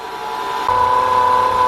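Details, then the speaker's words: 2000 Nissan Maxima after throttle body and idle air control repair for code P0505, warmed up at about 800 rpm idle: steady mid-pitched whine; suspected power steering pump, fluid level checked good. Whine at idle. "okay as you can hear it it's got a little maybe a little power steering leak uh power steering pump is going the check the fluid the fluid is good"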